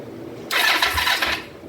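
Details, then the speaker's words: 2004 Kawasaki Vulcan 500 stored two to three years, first start attempt after carb work with petcock not yet on prime: single short starter whir about one second, no firing; fuel starvation from empty float bowls. "oh that's right we got to turn this pet Cod onto uh Prime and let them float bowls still for a minute this up level hopefully everything's okay with the uh floats and nothing sticking since we put it back together"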